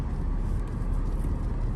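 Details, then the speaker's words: Lexus GS 300, 115,000 miles, check engine light, stored variable valve timing fault bank 1 (P1349) and misfires on cylinders 1–6: low, uneven chugging idle that sags near stalling; stalls when braking, fine under throttle. "oh it's like chugging in chugga chugga chugga okay shut it down"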